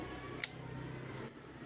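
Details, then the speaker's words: Honda CBR with a total shutdown problem, key on with a healthy battery: two crisp single relay clicks under a second apart in a quiet room, showing the ECM negative signal reaches the relay; the relay pulls in normally. "Satu kali cetik itu adalah arus negatif dari ECM. Sekali lagi kita buka. Kalau bunyi cetik artinya arus dari negatif dari ECM nyampai ke sini."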